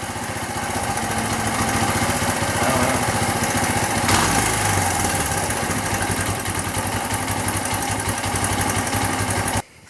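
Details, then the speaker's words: Dirt bike single-cylinder, warm, just reassembled: starts easily, then putts fast and steady at around 220 beats a minute, idle sitting noticeably high; cause not identified. "watch how easy it'll start and then watch how like it just idles all perfect but now it's idling all kind of high you"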